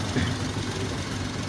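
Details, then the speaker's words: 2010 Maruti Wagon R 1.2 L petrol after carbon cleaning, sent in by a mechanic for poor pickup: low even idle hum with steady rhythm, no misses or tapping; engine sound much different from before, normal smooth idle. "చూసారు కదా, mileage, pickup, engine sound, ఇంతకుముందు sound ఈ సౌండ్కి చాలా different వచ్చింది."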